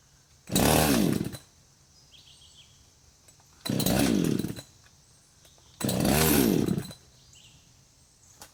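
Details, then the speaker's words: Husqvarna 562xp, hot after cutting, sat 15 minutes in the sun at 91°F and ~100% humidity, primer bulb barely filling: three one-second bursts where it fires, stumbles and dies; hot-start failure, owner suspects vapor lock. "It will stumble, but so far will not start."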